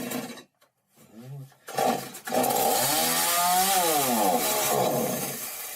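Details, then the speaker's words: Stihl MS 180 chainsaw, heavily used by professionals and serviced about two months ago, hard to start: it catches, sputters and restarts, then the revs swell, sag and die when throttle is applied. The mechanic calls this a clear sign of carburetor malfunction. "Вот. Газ даешь, он глохнет. Это явный признак неправильной работы карбюратора."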